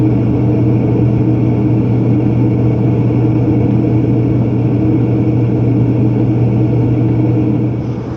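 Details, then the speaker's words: Propane warm-air horizontal commercial furnace in an attic, after fitting and adjusting a new universal igniter: steady even low hum, blower and burner running smoothly, no rattles or surging; normal operation. "but now it's lighting right up every time and blur comes on it sounds good"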